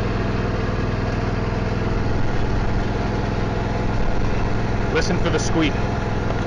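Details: John Deere L120/LA140 mower deck after greasing and preventative maintenance: the deck spins with a steady low hum over the engine and the earlier squeak is gone. Running much smoother and healthy.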